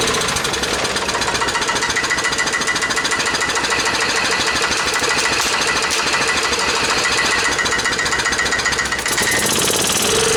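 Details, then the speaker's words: Club Car golf cart that sat in a barn 4 years after suddenly quitting first fires after fuel was checked for water and the float bowl filled: loud, rapid clattering with uneven shaking beat, rough running after long storage. "well you guys probably shook around like crazy but guess what it ran"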